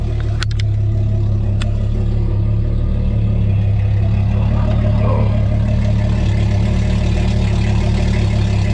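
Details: Tracker Targa V18 outboard, first start of the 2020 season after Bass Pro winterization, with tell-tale stream flowing. Smooth, even low idle with no knocks or misses while warming up; normal idle.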